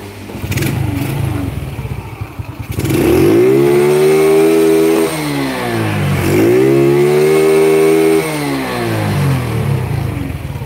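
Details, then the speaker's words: Honda Grand motorcycle with a new engine, testing aftermarket CDI units up to the rev limit; with the Fukuyama CDI it is blipped twice, pitch climbing cleanly to a high scream and dropping back, lighter and freer than with the SDG unit. "Oke, naik tinggi, lebih enteng, matiin. Lebih enteng daripada SDG. Ini di tangan saya rasanya lebih ringan daripada SDG ya."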